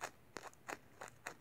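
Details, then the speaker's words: Sangean ATS909 AM/FM/SW radio (c. 1997) internal speaker flexed by hand: short dry scratchy crunches, about four in under two seconds, with each cone press; rubbing voice coil, replace the speaker. "We have a scratchy voice coil. So replace the speaker and the radio will play fine."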